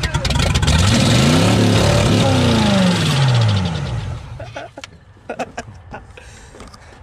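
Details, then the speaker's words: Chevy K2500 TBI 350 V8 that sat 10+ years, fed gas sprayed into the throttle body: catches, roars up and down unevenly for a few seconds, then dies; smoking, with flames from one header. "she's smoking this is this one side straight I don't know if I got it in the video but it was shooting some flames out of that header so it runs"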